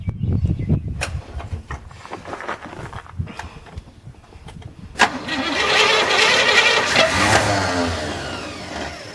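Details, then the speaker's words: 1981 GM square body truck, after 25 years sitting, fed from a fuel-injector-cleaning reservoir with choke blocked open and a weak battery: cranks, coughs, then uneven hunting idle; owner suspects a stuck carburetor float. "That float bowl up again. I would say we've got a stuck float. Well, it does run. It runs pretty good, I think."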